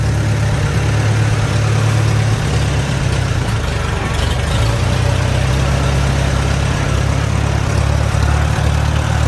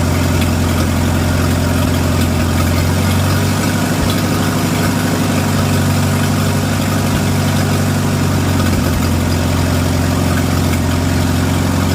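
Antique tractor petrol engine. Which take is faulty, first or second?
second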